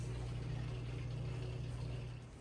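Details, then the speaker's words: 11-year-old Kenmore Elite washer after repair of an E58 error (CLL SRV). The drum motor seemed not to be spinning before and now spins: a steady low hum that eases off, turning smoothly without grinding or knocking. Normal drum spin. "come on run it for daddy there we go spinning because i think that last time that wasn't spinning"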